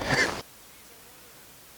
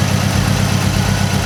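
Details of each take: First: 2006 Mazdaspeed 6 after a misfire was fixed by replacing a coil pack: after a quiet pause the engine catches and holds a steady, even idle with no stumble or miss. Healthy. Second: 2006 Mazdaspeed 6: lumpy, uneven idle with a steady stumble; unplugging cylinder one's coil pack changes nothing, so that cylinder is dead and the engine misfires running on three cylinders.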